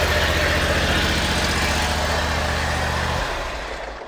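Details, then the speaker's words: eXmark lawnmower, PTO clutch suspected but not the cause; engine running with the PTO removed, giving a dry rasping whir over the engine beat until shutdown: worn belt pulley bearing. "this bearing sounds okay i can't even hear it this one it's shot"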